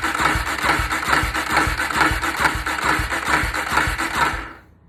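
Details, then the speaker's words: Polaris Predator 500 that reportedly cut off while riding, spark checked, cranked on a battery pack: steady even chug of the starter about twice a second, no catch or firing; cranks but won't start, owner suspects a motor problem. "comment below let me know what y'all think man because i don't sound like no not trying to start and i already checked it it got sparked everything"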